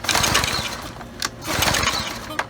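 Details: Briggs & Stratton 550e engine on curbside Brute pressure washer, full tank, hot day: two rasping recoil pulls, each a brief burst of cranking that dies away, never catches or fires; cranks but won't start.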